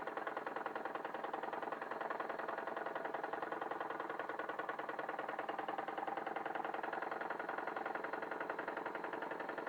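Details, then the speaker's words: Wilesco D21 model steam engine on its second run, fired by a Bix burner on propane/butane mix and driving a 3D-printed Baker fan as load. Quick, even chuffing at about 3.5 beats per second, no knocks. Normal running under load. "Sounds good with the load on it."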